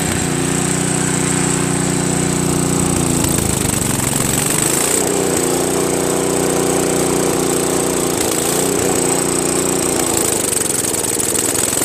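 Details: Craftsman 522 snowblower with Tecumseh engine, sat for years: steady single-cylinder putter with brief speed sags every few seconds. It idles only on choke or half choke, lean; owner suspects a hardened, collapsed fuel line starving the carburetor. Auger won't spin.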